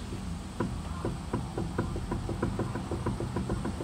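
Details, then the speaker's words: Suzuki Alto on a lift that clunked over bumps and manholes: the wheel rocked left and right gives sharp, hollow knocks, play in the inner tie rod ball joint at the rack; tie rod end was fine; the steering rack is to be replaced with a rebuilt unit. "はいこれガタが出てます対応ですね左右にかぶると音が発生しました"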